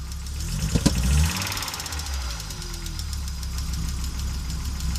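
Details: Audi Coupe after an NG-to-AAR engine swap: hard starting, many misfires, and it stalls while driving. Uneven, stumbling idle with irregular low thumps and a loose rhythm. Misfiring cylinders; cause unclear.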